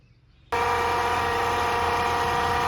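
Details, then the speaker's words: 2016 Honda Civic just started: loud, steady, buzzing whine with a hard tone that the owner reports on starting and accelerating, traced to the A/C compressor, likely its pulley, below on that side; compressor being replaced. "Bueno, aquí como pueden escuchar ya se encuentra encendido y efectivamente pues el el ruido es bastante bastante fuerte."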